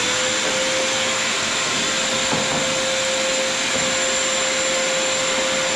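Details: Shop vacuum after a napkin clogging its intake was removed: steady high whir with a constant motor tone and even airflow rush, no choking or surging. Normal running.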